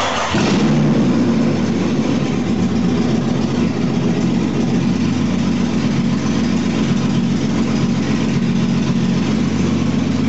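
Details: 2001 Jeep Cherokee Sport, first startup of the newly installed rebuilt engine with the exhaust not yet hooked up, after poor connections were fixed. It catches at once and settles into a loud, even, deep rumble without misses; it runs normally.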